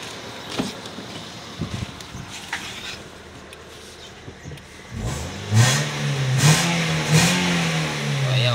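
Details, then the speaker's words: Toyota Vios (Batman) after replacing the spark plugs to cure a misfire: quiet at first, then the engine rises and falls through clean even revs with no stumble or popping; normal revving. "so test natin ngayon kung nagre-react malagitik siya Ayun aga na ayun agana lalak itik"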